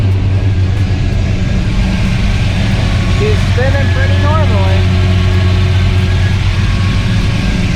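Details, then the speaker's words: '94 car after fitting a new alternator and reconnecting the battery, charging confirmed; steady, even idle with a smooth low rumble and no knocks, ticks or whines, engine sounds healthy. "there's also plenty of charging it is at the M I think before it was a little higher but worried about it sounds good still"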